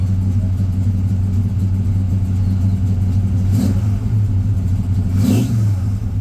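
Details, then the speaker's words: 1967 GMC Suburban, 402 Chevy big block, carburetor without choke, new HEI, cold start around 48–50°F: steady, slightly raised deep idle with faint puffing; high idle sticking up; owner suspects a small exhaust leak at the collector. "This doesn't have a choke. I've been having an issue with the high idle sticking up a little bit. Definitely needs a little love there."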